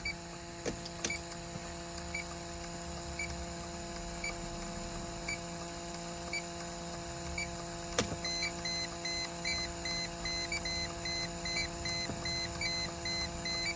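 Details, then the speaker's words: Electronic leak detector at dash vent, AC on low fan, ignition briefly on then off to pulse air; slow steady chirps jump to fast continuous beeping as refrigerant is detected; possible small evaporator leak, system had come in empty. "okay there we go that's what we're looking for so it appears there's a possibly a small leak behind the evaporator"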